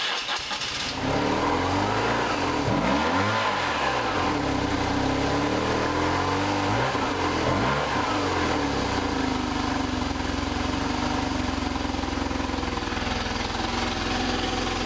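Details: 1995 BMW R1100RSL boxer twin, unstarted for over a year, after clearing the blocked mufflers: catches, rises and falls through several clean revs, then settles to a steady idle; healthy after the no-start was fixed.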